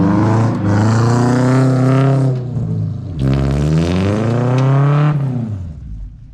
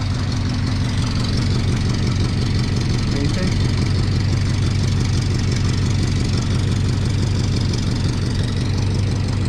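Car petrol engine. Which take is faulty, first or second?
second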